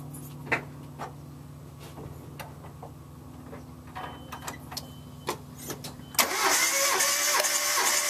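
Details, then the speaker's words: Engine that knocks at idle, cranking with a compression gauge on cylinder one: even, steady cranking at about four beats a second, reading 180 psi, then it catches and fires. "all right so if you can read that we're at 180 180 psi cylinder one"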